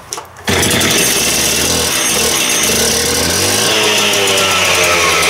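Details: Freshly rebuilt concrete saw started on choke after a couple of primes: a short cough, then a high, steady, even scream with no stumbling. The saw is running cleanly.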